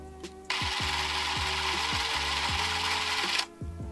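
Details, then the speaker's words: Kodak Instamatic M2 Super 8 movie camera with 4 AA batteries loaded, motor test run: steady even high-pitched whir for about three seconds, no squeal or slowing; normal motor run (this camera had earlier squealed after a few seconds, since fixed). "I've already loaded 4 AA batteries. Now let's check to see if the camera runs."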